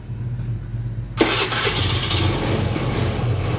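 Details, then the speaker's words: Honda Beat scooter, on stand, started and throttled: engine catches after a pause then sputters and runs unevenly, cutting out when the throttle is opened and stalling at idle; cause found to be a weak fuel pump (spec 263-361 kPa). "tapi ketika digas tuh dia ngilang seperti ini nah ini ngilang nah indikasinya"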